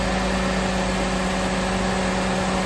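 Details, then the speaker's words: Engine on test with the EGR valve commanded open at idle: a low, uneven idle that sags and stumbles over a steady drone from cooling fans stuck on; exhaust gas recirculating at idle is dragging the speed down. "You can hear the idle's decreasing."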